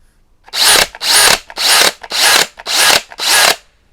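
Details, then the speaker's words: Teccpo brushless hammer drill (60 Nm TDHD02P / 70 Nm BDH360B), short bursts in second gear with a clack on stopping: small cylinders moving to lock the spindle make this noise in second gear but not in first. Normal spindle-lock noise, not a concern. "à l'intérieur il n'y en a que quelques-uns... ce sont des cylindres qui bougent et bloquent la broche. en deuxième vitesse, cela fait plus de bruit. il n'y a pas de quoi, disons, s'inquiéter"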